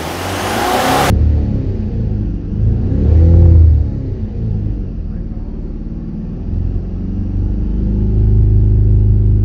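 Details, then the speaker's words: 2009 Mercedes E 220 CDI (W212, 125 kW, 152,000 km), heard in the cabin with doors closed: a low, even diesel rumble swells with a short rev and settles. It is much quieter now, with slight unevenness remaining. "wie sich das überträgt aufs ao ist das jetzt wirklich ganz ruhig drin ist leise ja absolut"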